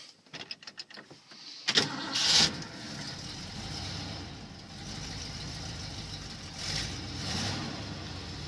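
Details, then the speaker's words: 1979 Ford F-350 with aftermarket Holley carburetor, no choke, cold start at 36–38 degrees with light throttle feathering: a few ticks, short crank, catches at once and settles to a smooth even idle; clean cold start. "so i'm giving it just a little bit of feathering with my foot on the gas pedal but as you can hear she fires right off really nice"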